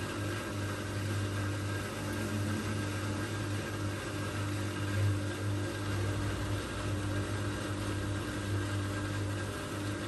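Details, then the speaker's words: Old Migatronic W1 1613 washing machine, first test wash after rebuild with new stainless drum spider and new bearings. Steady low hum with faint constant high whine, no knocking, through tumble; owner traced it to drive motor, not bearings, via belt-off test. "I think it makes like a we bit of a weird noise but I've noticed that the weird noise it's making like it's actually from the motor"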